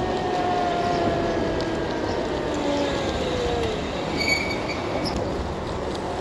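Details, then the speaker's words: Nakto Skylark e-bike, 350W motor, 16-inch wheels, on a trail ride: a thin wavering squeal over wheel and road noise from the fender rubbing the tyre. "something rubbing there again yeah okay it's that Fender rubbing again I think I'm gonna have to just loosen that up and work readjust that thing"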